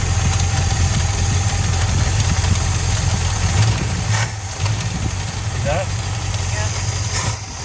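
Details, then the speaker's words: Plymouth Fury, carbureted V8, sat 5 years. Rough, lumpy idle that sags and stumbles before catching again: a hesitation. The accelerator pump is suspected, not confirmed. "yeah so i think that hesitation is accelerated pump i think that accelerator pump needs to accelerate itself off this engine"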